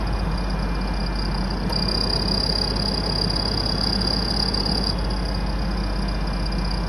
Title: 2000 F150 4.2 squeal noise new belt, rebuilt alternator and power steering pump, different ac clutch